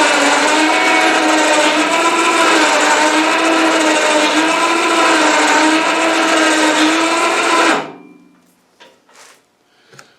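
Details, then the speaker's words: Snow blower chute winch motor after greasing the gearbox and reinstalling: loud steady whine with gently wavering pitch for eight seconds, possibly amplified through the snow blower; gear whine unchanged by greasing, owner thinks it is the nature of the gearing. "oh boy that uh that little winch motor some noisy eh uh i thought by putting grease in there in the gear box it would quiet it down a little nah it didn't help i think it's just the nature of all that gearing in t"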